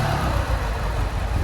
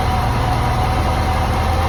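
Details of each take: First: Lancia Delta HF Integrale, sat about 20 years and unstarted over six, after fuel system overhaul, new fuel pump, four new injectors and fresh fuel, warmed up: deep even engine drone with steady beat, no knocks, ticks or misfires; runs sweet. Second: Lancia Delta HF Integrale sat about 20 years, not run for over six, first start after new fuel pump, cleaned lines and four replacement injectors: steady low idle with slightly uneven lumpy beat, occasional misfire remaining.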